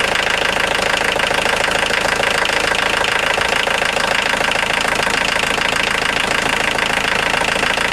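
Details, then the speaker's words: 1990 Volkswagen Jetta Mk2 1.6L diesel at idle: bright, fast chirping over the clatter as the alternator belt slips slightly and rubs against its cover, a previous owner's JB-Weld metal strip repair; worn belt drive. "and if you listen closely you can actually hear it slipping a little bit"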